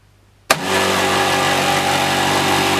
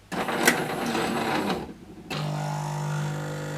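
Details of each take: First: Jura Z5 coffee machine: motor starts abruptly into a loud, harsh, steady rattle over a humming drone; loud rattling noise, repaired. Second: Jura Z5 coffee machine after rattling-noise repair: short burst of bean grinding, brief pause, then steady even pump hum with no rattle; normal operation.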